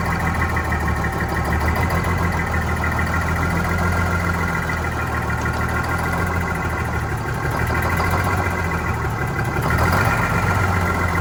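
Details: Vintage diesel bus on a very cold day, heavy idle with lumpy, uneven beat and faint speed wavering; rough idle after fuel hose replacement and re-priming, clear fuel-line section showing air, suspected air in fuel, unconfirmed.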